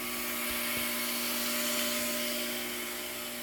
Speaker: And that noise you hear is water that comes from the bottom of the tank into this pump that then pressurizes everything inside the house so that we have the normal 60 psi or so in all the pipes.